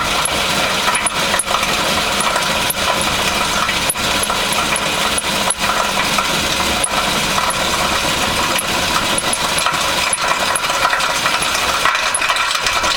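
A steady idling engine with sharp, irregular metallic knocks about once a second. Cause suspected, not confirmed.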